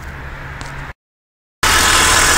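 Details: Holden Commodore V6 (VR–VY) after replacing the failed bottom drive belt idler pulley bearing, whose noise changed with revs like a transmission fault: engine catches after a short pause and idles steadily with no chirp, squeal or bearing rumble.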